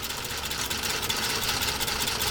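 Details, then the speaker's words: PFAFF 332 sewing machine with custom walking foot sewing a single layer of genuine cowhide leather at slow pedal speed: light fast even needle and feed clatter, no knocks or binding; sews smoothly. "all right here we go a single layer of genuine cowhide leather and I'm going to intentionally take a little bit slow just so you can see"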